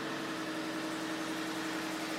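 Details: 2012 Ford F150 idling after the no-start, shutting-off fault was traced to a loose connector in the passenger-side fuse panel; a quiet, even idle with a steady low hum, no misses or knocks; normal idle.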